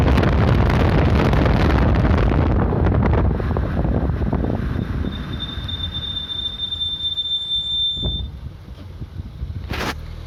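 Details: Heavy rolling rumble dies away, then a thin, steady high-pitched squeal holds about three seconds as it slows: brakes squealing.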